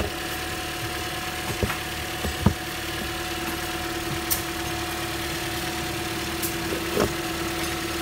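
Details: 2015 Corolla, 73,000 miles, after fixing random misfires (P0300-P0304) and intake camshaft position actuator circuit code P0010 and clearing codes: steady even idle, smooth hum with a few faint ticks, running normally.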